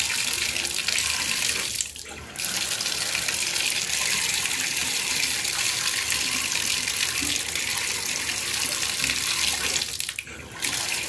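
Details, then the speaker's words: Shower with an Aquasource/Glacier Bay valve after replacing its failed pressure-balancing cartridge: steady hiss of water dipping briefly as the valve is worked, with no banging. The water hammer is fixed. "as far as I can tell there is no more issue"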